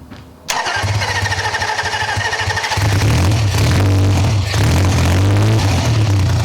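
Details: Triumph T150 Trident triple, first start after removing the anti-drain valve, choke open, cold: starter catches after half a second into a steady, even, deep idle, no knocks or misses; normal start and idle.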